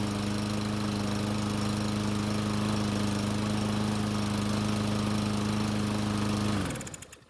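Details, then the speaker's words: Murray mower: steady, fast small-engine drone that holds, then dies out; runs only with gasoline primed into the carburetor throat and won't start on its own; fuel issue, auto choke suspected. "so that was really strange it started in ran after putting fuel into the car's throat but i couldn't get it to start on its own"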